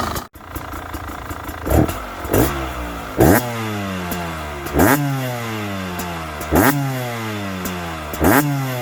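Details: Brand-new 2022 Beta 300RR Racing two-stroke, 0 miles, zero hours, revving: crisp blips roughly every second and a half, revs rising and falling cleanly, no knock or rattle; seems normal.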